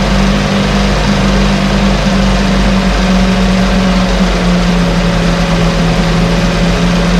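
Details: 1968 Evinrude Fastwin outboard, bought and only set in a test tank with no repairs, out of gear with no load: steady low drone at a constant pitch with no misses or knocks; no cold-start cough, runs better each start with Sea Foam in the fuel. Normal idle.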